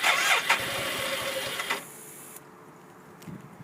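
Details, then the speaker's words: 1991 BMW K75S motorcycle, battery light on, choke closed: starter whirs under two seconds, engine barely catches then dies; owner suspects dead battery, unconfirmed. "Sounds like it has a better chance of turning over when the choke is completely closed. Almost starting. Not quite."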